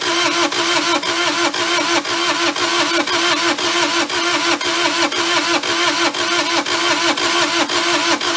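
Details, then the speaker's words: Mid-80s Bobcat skid steer, possibly a 642, diesel that previous owners couldn't start: even starter cranking about two compression strokes a second, never firing; suspected low compression, valve clearances to be checked for tight valves. "starting to think that we said dust doesn't have enough compression of fire uh let's get that valve cover off and we will check valve clearances which make sure we don't have any tight Valves"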